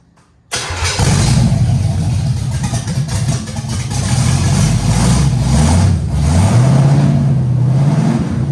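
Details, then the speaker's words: Camaro Z28 with a Blueprint 350 crate engine, first start after installing the gas tank and plug wires, with timing set and float bowls filled; cranks, catches and settles into a strong, steady rumble with light blips; normal running. "That's awesome, man. This thing runs, it sounds good, although it didn't come with its issues."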